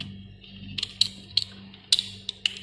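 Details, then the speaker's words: Two-door refrigerator not cooling though light on: removed PTC starter relay shaken gives loose irregular light clicks, like something broken inside; failed PTC relay. "Nah ciri-ciri PTC yang rusak itu ciri-ciri fisiknya ciri-ciri fisik itu ketika dilepas itu bunyi seperti ini ya teman kayak dalamnya kayak mau lepas gitu"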